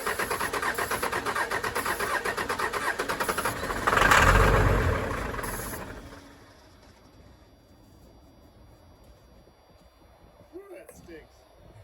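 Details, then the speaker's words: 1996 Dodge Ram 2500 Cummins 12-valve diesel sitting seven years, given a shot of ether: starter churns evenly about four seconds, surges once, dies without catching; old fuel lines drained out; fuel starvation. "yeah it's just the old fuel lines drained out don't know if we got to B injectors or not"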